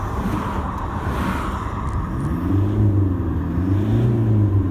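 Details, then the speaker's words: Toyota Hilux diesel after injector replacement, short rev during road test with traffic passing: rises cleanly and settles, no rattle or misfire; very quiet, clean-revving normal engine. "just such a clean revving engine i'm very happy with the way it's come up"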